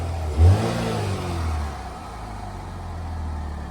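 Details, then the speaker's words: Hurricane Ian flood-totaled, fully submerged Pontiac Solstice after revival: one quick rev then clean drop to steady low idle, no miss or rattle; runs like brand new. "Thing runs like brand new."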